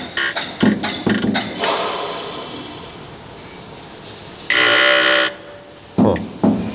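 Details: Tesla Model X suspension as the body is rocked: thumps, then a drawn-out rubbery squeak from a worn lower control arm bushing on the right side, which also squeaks over speed bumps.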